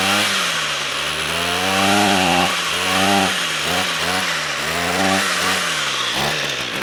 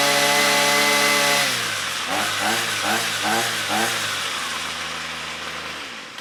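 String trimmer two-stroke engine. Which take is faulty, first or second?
first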